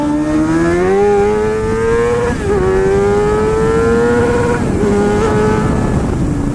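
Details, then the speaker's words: Motorcycle on the freeway after a shop checked an earlier loud ticking between certain RPMs (ruled not rod knock): smooth, even drone rising cleanly through the gears with no ticking. Normal running. "Oh, man. This bike's running great."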